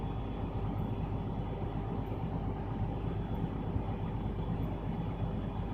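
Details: Truck diesel idling during air brake test, timing 30 PSI build-up from 100 PSI: steady, even idle, low rumble, faint regular compressor chug; normal idle with air pressure build-up.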